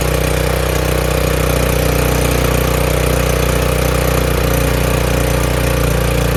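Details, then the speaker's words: Craftsman RER1000 riding mower after a new fuel filter and a battery charge, oil slightly overfilled: smooth, steady low thrum at idle, firing evenly with no stumbling, knocks or hunting; normal idle. "I don't think it's ever run like this before. Turn off a little bit of oil. I overfilled it. Sounds really good. Fixed. Runs pretty good now."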